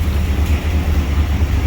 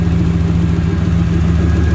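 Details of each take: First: 1992 Pontiac Trans Am that had been running rich and misfiring, after a fix: deep loud V8 rumble with raspy, uneven puffing at idle, spitting old fuel from the exhaust; hole in the catalytic converter, exhaust leak. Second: 1992 Pontiac Trans Am, warm engine after replacing leaking fuel injectors and lowering fuel pressure from about 63 to 43 psi: steady idle then two quick blips rising and dropping cleanly; previously misfired badly.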